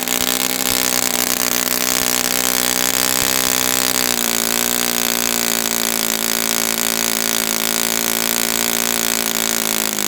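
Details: Brand-new customer Saito FA-100T twin glow engine on test stand, break-in run: steady high-pitched buzz stepping up slightly then holding smooth and even; rich, oil dripping from exhaust, not lean. Rich break-in run.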